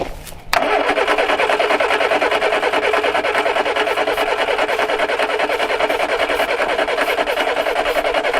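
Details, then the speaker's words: Four-cylinder car that had sat almost 30 years, cranking on a few squirts of starting fluid: sharp starter engagement then fast steady churning beat while coaxing it to fire. "Went and got some of the juice of the gods. See if we can't encourage this to take off."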